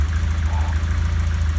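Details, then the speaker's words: 1991 Nova GSi, original 1.6 8-valve, after cold start on fresh fuel: steady smooth idle, no knocks or misses; slight residual smoke believed to be burning off after valve stem seal work. "but i think it was just i didn't give it enough time for the uh for the stuff to burn off so anyway it's running sweet at the moment"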